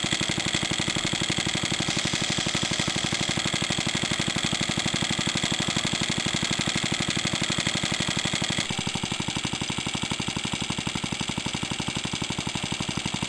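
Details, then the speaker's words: Suffolk stationary engine compressor set, first test run with compressor bolted on, new pulley and temporary belt, tank pressure rising then load released: even steady beat about four per second with crisp exhaust bark; runs normally. "Well, there we are. I think that's a successful test run."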